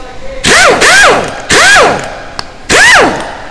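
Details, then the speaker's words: Snap-On MG725 air impact wrench after teardown and rebuild: four bursts spinning up and winding down with clean whir, former internal rattle gone; sounds healthy and stronger. "you don't hear that rattling in there before you used to have that rattling in there no man seems pretty good to me right now"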